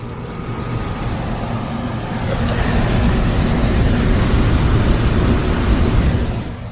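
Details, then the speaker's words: Home HVAC indoor blower fan after motor replacement. A low, airy rumble builds, then holds steady with no squeal or rubbing; the blower is running smoothly and moving air. "But anyway, we got it. She's running."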